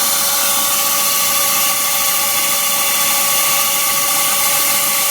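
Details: BMW Z3 1.9 at engine start, cold or warm, after AC and fan belt tensioner replaced: steady piercing high squeal over the running engine, source not yet found; squeal after engine start.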